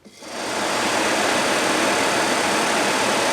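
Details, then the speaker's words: Original old blower motor from a 1980 Jeep CJ-7 heater box, bench-run on a brand-new charged battery, shaft spins freely, before comparing with new Four Seasons motor: steady airy even whir, no rattle, but sounds slow. Slow-running worn blower motor. "i don't have an rpm gauge but um you can hear about how it is"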